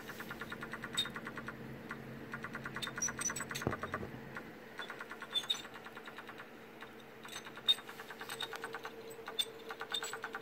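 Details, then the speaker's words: Failing hard drive in an Acer laptop that freezes on the splash screen gives rapid, uneven ticking and chirping over a faint steady hum, judged too unhealthy to last through an install; a replacement drive is used instead. "I don't know this is going to last through the install much less last very long after we get it in there"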